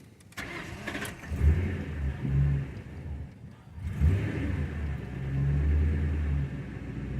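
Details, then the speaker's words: 2002 Ford Crown Victoria with the 4.6L V8 and 103K miles, engine still ice cold. It catches, surges and sags without a steady fast idle, then stalls; among the worst it has been. An intermittent hard cold start; idle air control valve suspected, not confirmed. "ah see look at that i just killed it this is actually one of the worst ways i've ever seen it be"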